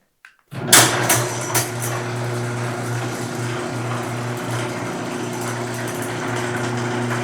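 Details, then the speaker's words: Garage door opener after lubricating joints, bearings and springs and manually cycling the door: a few clunks, then a steady hum with light metal rattle and no screech, described as normal for a metal door. "Sounds pretty good. So now the garage door went from sounding like my ex-wife to sounding like my mother, who's slightly more tolerable."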